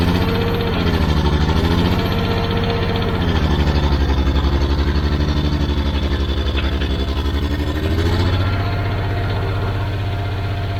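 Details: Old Caterpillar D6 dozer diesel after a fuel problem was fixed: heavy deep regular beat as revs drift up and down, no misfire or knock; runs pretty good, normal running.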